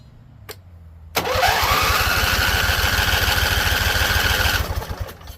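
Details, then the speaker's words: Husqvarna Z254 mower with an apparently swapped engine: steady starter cranking at about three and a half pulses per second with a rising whir never catches. Owner suspects flooding, fuel valve on low, and the tank vent was opened; not confirmed. "Flooded again. So fuel on low. That's what I'm thinking. Flooded again."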